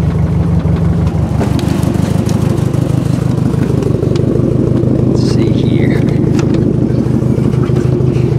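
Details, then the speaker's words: Nissan 240SX starting and idling after new DW (Deatschwerks) fuel pump replaced a loud whining one: steady even idle, smooth low drone, no pump whine; normal idle. "I want to show you guys real quick the car starting up and running on the new Di Works pump no more loud annoying whining pump no more noises"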